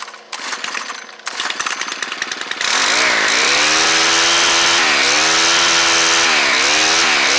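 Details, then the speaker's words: Stihl FS90R string trimmer with its old carburetor (primer bulb shot), before Hipa carb install, started with choke: pulls and sputters, then catches into a steady high buzz that dips and recovers with throttle; runs well. "foreign that sounds pretty good but uh we're going to change the carburetor anyway since we have one"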